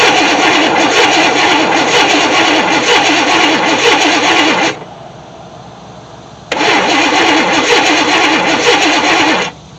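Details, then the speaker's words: 1964 Chevy Impala SS convertible after 35 years in a shed: starter cranks steadily in two long bursts but engine never fires; no spark from coil despite power, owner suspects bad ground, coil to be tested next. "got no spark coming from our coil I know the coil or I know we got power I don't really understand maybe I'm not getting a good ground"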